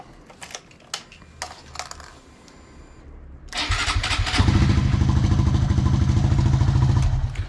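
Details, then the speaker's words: Honda Monkey 125 on its original lead-acid battery, before a lithium upgrade: a few light clicks, then a brief steady crank that catches quickly into an even idle; a normal start, though lithium is expected to crank quicker. "So it's not too bad, but apparently with the lithium it'll crank quicker."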